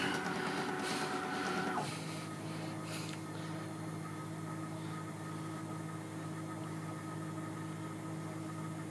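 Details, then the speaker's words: Sieg KX3 CNC mill cutting a logo with a center drill instead of an engraving cutter: several whining tones drop in pitch as the axes change speed, then hum evenly. This is the normal stepper motor drive noise. "tantly is the stepper motors which drive the table from side to side and fall back and also the head up and down gently working away to themselves incidentally it is actually supposed to make that noise"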